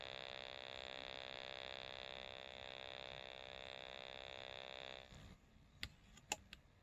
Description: Radio emits a buzzing sound when turned off.